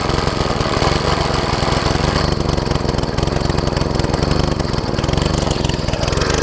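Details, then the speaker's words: MTD front-tine tiller, small single-cylinder engine after reassembly: fast even chugging, earlier ticking gone, idle wavers slightly and still rough; earlier sputtering traced to misconnected carb throttle linkage, later fixed by hooking up and adjusting throttle. "Obviously it needs to run a little better."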